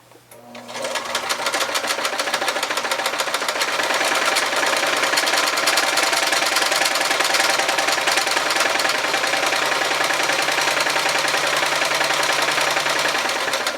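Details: White 999 sewing machine, probably over 40 years old, after more cleaning and oiling: fast, even needle clatter at a constant pace, no catching or grinding. The earlier roughness, possibly metal on metal rather than in the bobbin area, is fixed; normal sewing.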